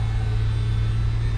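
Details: 2005 PT Cruiser convertible power top, after fixing it with transmission fluid and simple hand tools; steady, even low hum with no surging, whining or knocking as the top lowers; hydraulic pump running normally.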